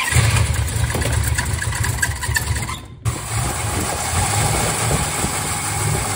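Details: 1967 Dodge Charger with a newly rebuilt 383 big block V8 and aluminum heads, ignition timing eyeballed and possibly late: lumpy, uneven idle with stumbles and a brief near-stall; misfiring, and the cam timing is off.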